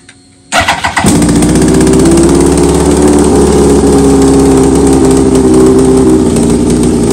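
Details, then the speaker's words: 2003 Yamaha R1, 27,000 miles, sat for a while, freshly charged battery, on a lift: fast uneven idle with sharp ticking, knock-like chatter that sounds like engine knock but is exhaust leaking from cracked headers; engine otherwise runs strong. "it's going to really sound like that the motor is there's like a knock in there or something but it's not it's the exhaust 100%"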